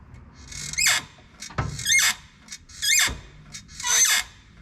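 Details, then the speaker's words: Lotus Elise clutch: loud high squeak on each pedal stroke, seemingly from the pedal inside the car but actually from the dry clutch slave cylinder pushrod and fork pivot on the transmission; fixed by greasing them. "when you sit in the car it actually sounds like the noise is coming from the actual pedal inside the car but it's just being echoed through the car and it's actually coming from back there so it's easy to misdiagnose that"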